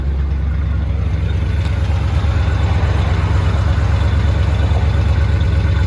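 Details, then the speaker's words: Chevy C30 square body Mason dump V8, revived after an under-hood fire: deep, even idle with a steady low pulse and no misses or knocking; it runs smoothly. "Very happy with the way this thing runs, and at least now I'll be able to pull it in and out without any hassle."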